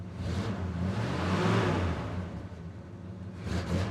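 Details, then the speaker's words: 1966 Ford Country Sedan V8 idling foot-off on first start after an engine overhaul with a new timing chain and new oil, not run well in 30 years, cold; the temp gauge wrongly reads hot. A deep, steady lope through a loud exhaust with no misses. "that's foot off it's idling holy crap it's idling good too"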